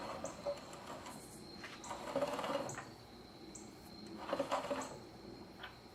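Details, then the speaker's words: GM 5.3 V8 rebuild with Holley 302-2 oil pan and modified windage tray: faint scraping bursts about every two seconds as the engine is cranked slowly by hand, timing chain rubbing the timing cover. "back to my original issue as I was afraid of the timing chain does rub the timing cover"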